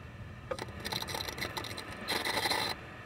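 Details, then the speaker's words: 1967 RCA color tube TV after it lost high voltage, heard when switched into bypass: irregular dry crackling bursts with a thin high sizzle, strongest near the end. Suspected internal flyback arcing, with the 3A3 high-voltage rectifier believed failed. "sounds like the flyback is arcing internally I believe the the rectifier the 383 went to Air and I'll show you why when I lift this up watch the plate current"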